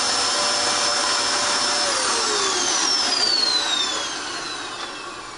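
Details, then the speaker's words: Dirt Devil Extreme Quick Vac after brushroll belt replacement (style 15 belt): steady high motor whine with the brush roll spinning, pitch sliding down as it winds down; new belt working, running normally. "You notice? There you go. The belt's spinning. So the brand new belt, it worked."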